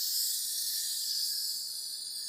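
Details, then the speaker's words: Turbo Lexus IS300 intake manifold pressure-tested at 25 psi, engine off, with new ID1700 injectors fitted: a steady high-pitched hiss of escaping air that changes when pressure is applied. The number six injector is not sealing. "this number six injector is not sealing properly it's already at 25 psi you can hear it change just with my a little bit of extra force"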